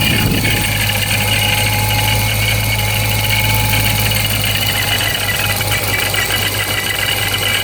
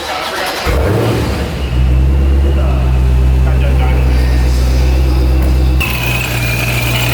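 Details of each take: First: Procharged Dodge Scat Pack, warm 81°F day: steady idle with constant high-pitched supercharger whine; owner unsure if normal, possibly gears breaking in, taking it to shop for inspection. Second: Procharger-supercharged Dodge 392 Scat Pack at the shop: deep steady idle with a thin constant high whine that lifts slightly when revved; the technician says it sounds fine. Normal supercharger whine.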